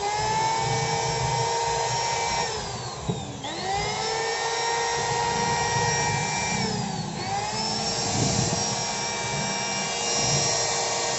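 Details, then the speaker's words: Electric wood planer with a new armature (old one burnt) and a loose upper and lower housing: high whine over a rough growling rumble, heavy rotation sagging twice, and the body heats up quickly. "Nah suaranya seperti itu guys ngorok putarannya juga berat banget"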